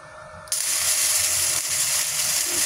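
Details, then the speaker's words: Budget MIG-MMA/TIG 160 machine running gasless flux-core MIG with the ground clamp on the wrong polarity. The arc gives a harsh, crackling, uneven sizzle and leaves small spatter beads that don't fuse or stick. "Nah kita lihat las mig tanpa gas hasilnya hasilnya di sini ada percikan-percikan buliran-buliran kecil buliran-buliran kecil ini tidak menyatu dan tidak menempel kurang bagus hasilnya"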